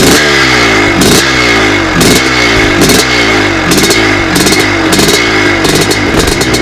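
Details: 1982 Husqvarna 430CR twinshock two-stroke dirt bike, freshly rebuilt from two scrap donor bikes: crisp blips rising and falling about once a second, each rev clean and quick to return, healthy engine.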